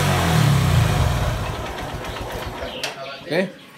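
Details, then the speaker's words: Honda Verza after repair of scratched, damaged piston, gaskets and oil seals replaced, oil passages cleaned: single-cylinder revs and falls back to smooth, even idle with no knock, near factory; slight injector ticking remains, considered normal. "Ini hasilnya untuk motor verzanya mesin lumayan halus cukup halus bagi saya seperti bawaan motor aslinya ya"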